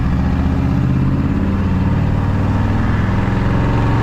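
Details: 1981 Chevrolet squarebody truck with new exhaust system, driving through suburbs: loud, steady, deep V8 rumble with an even beat and no ticks or rattles; the new exhaust sounds healthy.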